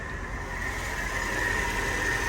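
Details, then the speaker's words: Mercedes SL55 AMG, supercharged M113K V8, after coilover conversion and a customer-supplied power steering pump: smooth, even idle with a faint steady high tone and no squeal; pump and pulleys sound healthy, normal idle. "So I'm just listening to everything. Making sure the pump sounds good. Make sure his pulley sound good."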